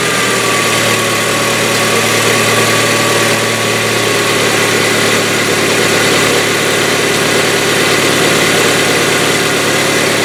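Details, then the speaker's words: Hyundai Getz, fully cold engine after a day parked, fresh oil without additive: fast, light, uneven ticking about three per second at idle from the hydraulic lifters, lasting slightly shorter than on old oil but still present. "Также после замены масла, после долгого простоя гидрики стучат. Стук по продолжительности, конечно, уже немножко меньше, чем на старом масле, но все равно присутствует."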